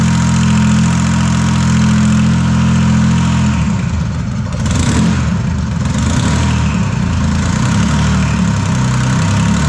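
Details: Detroit 3-53 diesel, first start after 25 years idle, after reversing a camshaft that had been installed backwards in a 2000 rebuild: a steady, even idle, then clean revs settling to a firm regular beat with no knocks. It runs healthy.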